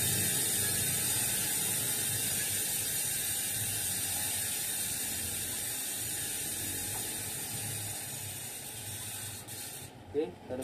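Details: Industry Nine rear hub (12x148) on a Santa Cruz 29-inch mountain bike: fast, even ratcheting buzz fading smoothly as the wheel coasts down; normal, cleanly engaging freehub.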